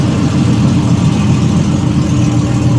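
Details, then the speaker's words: Restored 1968 Triumph TR250 and a TR6 idling together: steady, even low burble with no ticks, knocks or stumbles; both sound healthy. "Got them both idling, which is kind of nice to hear them together."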